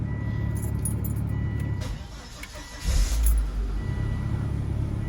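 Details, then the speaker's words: 2006 Volvo XC90 just started after a fuel filter change (the first in about 8 years), possibly still unprimed. Low, uneven rumbling idle with a brief surge; the rough running is still present, cause unknown. "As to whether it fixed my rough riding prop or not, I don't know. I can still hear it kind of rumbling."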